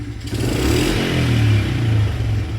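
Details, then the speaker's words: Two-stroke dirt bike after the idle was adjusted; the carb bowl gasket is still leaking fuel. It blips up and settles with a crisp, even crackle, with no misfire or smoke, and runs perfectly. "This thing runs perfectly."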